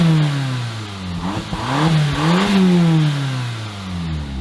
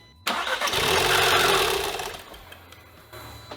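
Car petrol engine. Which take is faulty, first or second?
second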